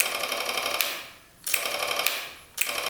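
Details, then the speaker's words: 1991 Kawasaki Vulcan 1200cc motorcycle: three bursts of fast light clicking, starter not turning; no voltage reaching the starter peg, starter solenoid likely faulty internally. "You can hear it clicking now, that solenoid."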